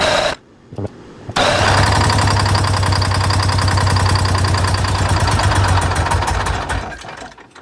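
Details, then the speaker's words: 1985 Bluebird Wanderlodge PT40 diesel after jake brake wiring work: steady rhythmic cranking that never catches; fuel starvation, Racor filter found empty after the system was opened and fuel drained back to the tank. "well here's our problem we just opened this up we got no fuel in here"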